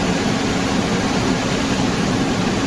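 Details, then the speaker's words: Olympian generator, previous no-start from flat battery, now started and charging normally: steady, even low rumble with no knocks or surges; normal running. "बमला start हो गया है अभी इसका check करेंगे battery charge कर रहा है"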